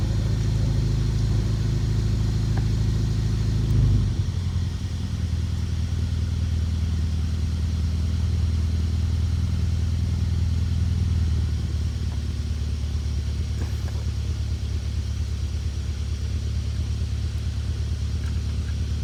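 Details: BMW E39 with M62TU 4.4 V8 at 210k miles idling with a loose, uneven timing chain rattle/slap over its rumble; had run rough for weeks, and the main guide was found cracked in several places, all four chains slack, oil pump chain stretched.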